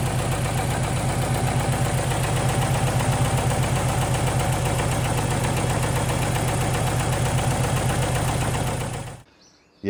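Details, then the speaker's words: Ford Capri with a freshly swapped-in ST170 engine replacing the Pinto; loud, uneven, lumpy idle with a clattery diesel-like beat that never settles; running rough, cause not yet investigated. "Yeah, it's not running well at all. It sounds like a diesel or something. Yeah, it's really rough."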